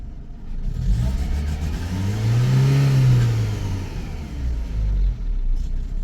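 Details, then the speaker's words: Renault petrol engine ticks over fine but stumbles unevenly like a misfire when revved; put down to lack of fuel, a fuel pressure regulator or weak fuel pump not delivering enough fuel. "well that is down to lack of fuel so it's a fuel pressure regulator well your fuel pump is a little bit weak you're not pumping enough fuel so it tick over quite nicely soon as you hit the throttle it'll start doing what that's just done there"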